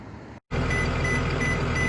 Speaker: That's telling me I have a regen. So whenever your bus is doing a regen, what it's trying to do is it's trying to clear the exhaust.